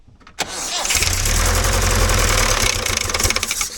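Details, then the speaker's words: Toyota 18R engine after swallowing a 12mm rocker cover nut, retimed with a new timing cover: catches and settles into a fast idle with a loose, clattery rattle; source of the rattle unclear, possible damage unknown. "Alright. She's pretty rattly."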